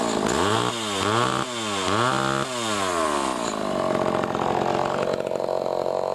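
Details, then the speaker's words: Pioneer 11-60 chainsaw after years in storage, ignition fixed by readjusting and lightly sanding the points: crisp revs climb and drop cleanly, then a strong, even pull while cutting wood; runs healthy under load. "Oh seems to run for good actually I'm impressed I'm surprised that after all these years in storage which is running good"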